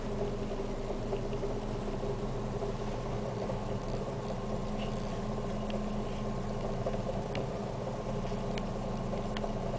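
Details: Siena 1.6 idling rough: steady low idle with dull uneven drone and faint irregular ticks, noise reaching the interior with a constant felt shake; tachometer shown, cause unknown.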